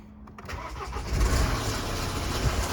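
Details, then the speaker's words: MINI N47 diesel started after a short crank: a harsh, loud metallic timing chain rattle over idle. The chain guide may have failed, and its plastic can block the sump, so the oil pressure warning comes on. "As you see, very noisy, very loud rattle."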